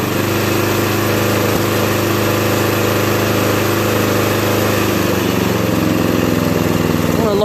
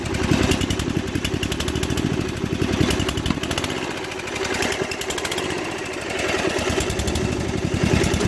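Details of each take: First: 2001 Murray Select LT riding mower, after carburetor cleaning and oil change, run about three minutes to burn oil out of the muffler: small single-cylinder holds a steady, even beat at a slightly fast idle, no misses or surging, running smooth. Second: 2001 Murray Select LT riding mower at high throttle: smokes heavily, runs rough and surges, then stalls; carburetor float needle stuck open from ethanol buildup flooded the crankcase with fuel, diluting the oil; fixed by oil change and carburetor cleaning.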